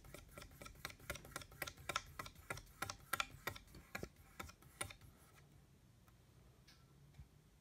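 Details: Noisy ceiling fan making light, even clicks about three per second that fade as the fan slows; ticking, cause not yet found.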